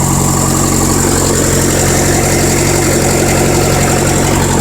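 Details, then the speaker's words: 1973 VW Thing flat-four parked since the early 1980s, gravity-fed fuel, started without priming: steady even idle with smooth regular chuff and no misses or stumbles, no smoke; runs cleanly. "Man, no prime. Good golly, Miss Molly, she's a running. Look at that."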